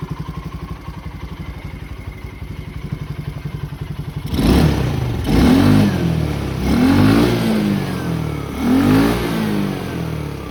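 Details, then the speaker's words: 2010 Polaris Ranger RZR 170, neglected for years: small single idles with steady even putter, takes clean revs and settles; smoke is moisture in exhaust, no burned-oil smell; normal running. "that smoke that you see is just like moisture inside the ex aome it doesn't smell like burned oil this thing sound like everyone's good now"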